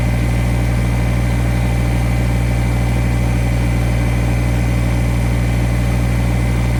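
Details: Kubota BX1850 diesel tractor, bought around 2008, after new ignition switch and battery: steady, even low thrum about three firings a second, no misses or knocks; healthy idle, run to charge the battery.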